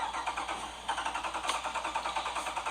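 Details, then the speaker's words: 2013 Jeep Grand Cherokee Overland: steady rhythmic cranking at about eight pulses a second that never catches; a crank-no-start the dealership repeatedly says shows no fault. "Dodge dealership has had it a total of 996 days in the last year and continue to tell me nothing is wrong with my car but yet I cannot get it started"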